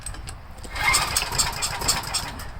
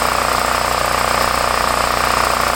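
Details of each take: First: Homelite 389cc generator, carburetor previously cleaned years ago, now leaking carb; pull-start cranking on choke with fuel on gives brief sputters but no steady firing, hard starting. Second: Homelite 5,000 W generator, 389cc 13 hp engine (owner thinks Tecumseh), owned about 8 years, started with choke after carburetor leak fix for hard starting; steady even beat with constant tone for about eight seconds, then winds down; running smoothly, normal idle.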